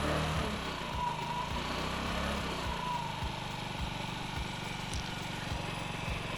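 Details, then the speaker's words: Honda Ruckus scooter with replaced carburetor and new fuel line, warming up after idle adjustment; small single putters at a slow, uneven idle, beats wandering and sagging as if it wants to stall, still inconsistent; low unsteady idle needing more idle screw. "see every time I hear it starting to kind of lug a little bit and wanting to stall out I just turn a little bit more throttle a little bit more on the idle see there's there's still a little bit of inconsistency in it idling"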